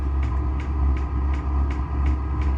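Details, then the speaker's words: Vevor diesel air heater newly installed in a sea-can container knife-making shop, run off an 11,000 W generator, first test: steady low blower roar with soft even dosing-pump ticks about twice a second; heating normally. "Looks like it's heating. I'm gonna go outside real quick here and check the temperature of this. Yeah, it's heating."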